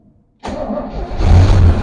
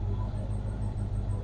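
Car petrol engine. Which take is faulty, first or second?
first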